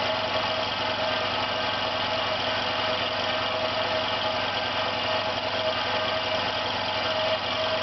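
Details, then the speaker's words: Compressor building pressure with no air leak, about 50 seconds in, running with a rough drone and a thin steady tone; one side is cold and the other hot. It sounds abnormal and is likely failing. "You can hear it's making a strange noise."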